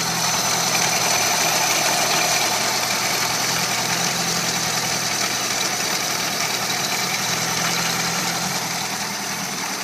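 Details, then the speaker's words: VW truck engine with pulley-driven supercharger and extra fuel from old Volvo turbo injectors and warm-up regulator, idling after start-up: steady, even idle with light blower hiss, no knocks, misses or hunting; normal idle. "I'm going to go ahead and start it and so you can hear it run"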